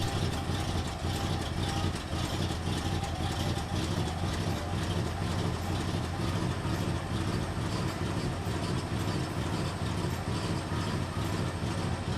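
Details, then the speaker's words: Freshly restarted "Vruck" engine after retrieving a lost oil-pump drive retainer and reinstalling the oil-pump drive rod; cold, uneven lumpy idle with irregular beats, ignition timing well off, needs warming up before setting idle and timing via distributor. "oh I know the timings gonna be way off as you can see here at the guys we've gotta warm it up in order to set the idle and the timing correctly"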